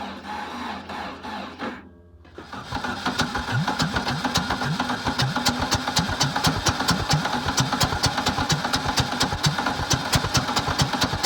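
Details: VW Bug engine with new spark plug wires, new ignition coil and new distributor, fed gas in carburetor and from a bottle: cranking stalls briefly, then catches into a rapid, slightly uneven beat; hard starting.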